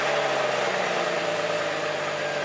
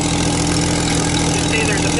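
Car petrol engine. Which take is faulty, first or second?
second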